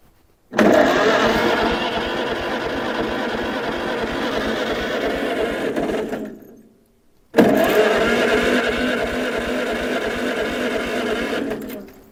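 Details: 1947 Farmall Cub, ignition, fuel and choke on: two long cranking runs at about three turns a second with no firing; no spark, and the magneto is wet inside and out of time, likely from removing the governor.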